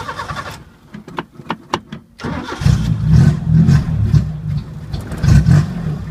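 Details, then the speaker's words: 1980 Chevy Luv, carbureted engine barely run in years, after sight-glass leak fix: cranks, catches, runs unevenly with surging revs, no steady idle. Owner suspects electronic carburetor parts not working; cause not confirmed. "could still be some electronic parts of the carburetor that aren't working it's almost idling"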